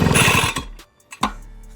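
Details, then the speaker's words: Pollwon PW140 petrol sprayer, first cold start with choke closed, fuel tap open, throttle at mid; brief half-second burst of rapid firing that dies right after the pull; nearly caught on choke, next open the choke. "dvigatel o't olib ketay deb mana shu ovozni chiqardi. Ya'ni salkam o't oldi."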